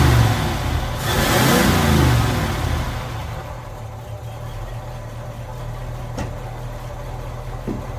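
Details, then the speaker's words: 1948 Ford F5 bus, abandoned 25+ years, on a newly fitted custom exhaust: a rev settles into an even, low, quiet idle with no knocks or leaks; the engine and the new exhaust sound healthy and smooth. "It's so quiet. Very nice, very nice. Hey guys, it sounds good."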